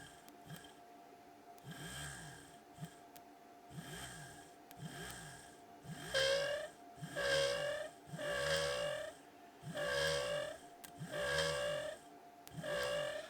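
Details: Vintage Lucas klaxon horn on a 6 V bench supply set to 5 A. The motor repeatedly whirs up and dies away about once a second, giving only a thin rasp instead of a full blare. The owner suspects the motor must sit closer to the striker.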